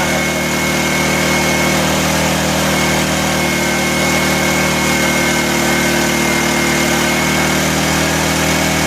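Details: 1984 Honda EM600 generator on a cold start: steady, even drone with no hunting, pitched noticeably high. Engine overspeed; a throttle fault is suspected, and the fine-tune adjuster knob did little.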